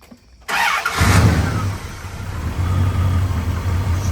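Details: V8 truck bought sight unseen, started after the spark plug wires were re-routed to the correct order (distributor cap markings were wrong): it cranks briefly, catches quickly and settles to a steady, even low idle with no misses. Runs smooth.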